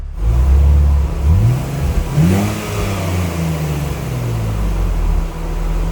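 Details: 2004 BMW Z4 2.2i on a rolling road, full-throttle power run; the engine note climbs smoothly and strongly, then eases back over the steady roller drone, a healthy clean pull.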